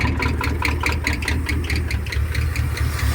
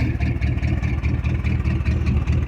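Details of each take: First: 1973 Ford F-250 V8 with glass-pack exhaust, first start in 18 years, just started: deep burble with an uneven, loping beat of about two pulses a second, idling rough and unhappy, smoothing as idle is raised. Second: 1973 Ford F-250 V8 started for the first time in 18 years, smoke clearing, glass pack mufflers; deep throaty burble with an even pulse at fast idle, running healthy and smooth; normal running.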